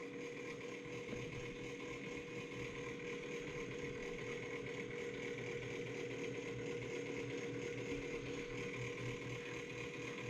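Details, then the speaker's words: 1990s Gateway all-in-one LCD computer running Windows XP. At power-on the hard drive gives a steady whirring hum with a rough, uneven grinding about two churns a second. The drive appears to be failing, suspected not confirmed: hard drive grinding noise. "but the interesting thing about this one is when you turn it on the hard drive is starting to go out so when you turn it on can you hear that"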